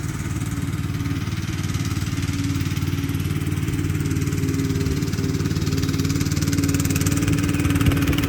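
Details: Free Craftsman LT2000 lawn tractor, parked about 6-8 years, running after cleaning solenoid and ignition switch connections: steady single-cylinder chug at even pace with low rumble, no knocks or misses; normal running.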